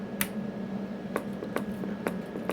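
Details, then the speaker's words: 4P454 base amplifier keyed into a 1000-watt dummy load with wattmeter: sharp single relay clicks about every half second over a faint hum, no output; owner suspects a modulator or output fault; relay clicking with no output. "you guys might be able to hear that relay clicking um you probably able to hear it that way"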